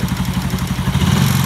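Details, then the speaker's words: Yamaha Jupiter Z1 motorcycle after service: rough rapid ticking clatter that persists and follows the throttle when revved, indicating damaged piston rather than valves; roughness linked to oil not reaching cylinder head. "Ini untuk setelah ke servis, untuk mesin ada suara ngelitik ya, tetap ya, karena itu pistonnya yang rusak. Kalau ciri-ciri piston rusak itu ketika ketika digas dia tetap ada suaranya."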